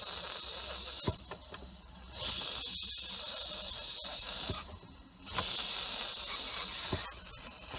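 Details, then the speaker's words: Boost leak found with a leak-detection tool: a sharp, steady high hiss cutting in and out as air is blown into the pipe, escaping at the lower boost pipe joint, where clips won't seal; a new lower pipe has been ordered. The car wasn't reaching full boost. "there we have it there's your boost leak so this pipe I ordered recently"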